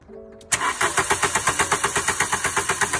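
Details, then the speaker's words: VW engine cranking evenly without starting and with no spark. The crank sensor (Hallgeber) signal was present, so the ignition coil was found faulty; with a new coil the engine started immediately. "Das heißt, die Zündspule ist kaputt."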